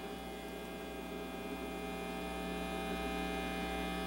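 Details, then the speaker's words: Home audio system (pre-amp, equalizer, amp) connected to a PC on another floor: steady buzzing hum with hiss at idle, caused by a ground loop from separate AC power circuits; solved with a Bluetooth audio adapter. "can the can that hiss be heard hurt i hope because that is the problem at hand"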